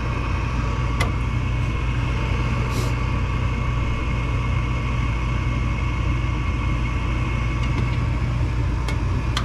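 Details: Armstrong furnace with a no-heat complaint, after burners were brushed and vacuumed clean and the unit cycled off and on: steady even low burner roar with no surging, popping or rumble; furnace firing and running normally.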